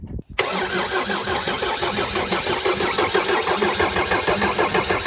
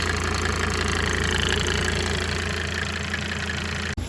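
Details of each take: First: Mercedes 190D W201 diesel after stainless fuel line replacement, cold April day: starter churns about three beats a second for six seconds without firing while an injector is cracked open to bleed air until fuel arrives. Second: Mercedes-Benz W201 190D diesel after fitting new stainless steel fuel lines, run to check for leaks: even idle clatter, about four light knocks a second, steady with no misses or extra noise, then shut off; healthy normal idle.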